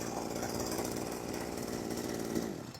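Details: Small two-stroke sprayer engine, pull-started with the crankcase cover left off: it buzzes at a steady high pitch with even firing for over two seconds, then shuts off, and the strange cranking noise is no longer heard; normal running.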